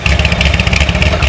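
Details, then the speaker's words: C6 Corvette Z06 with 441 LSX, fresh start after a heads and cam install on stock exhaust, possibly still in open loop: steady idle with even low exhaust pulses, no knock or tick; runs healthy. "yeah that sounds good it sounds good for a stock exhaust say what it sounds good for a stock"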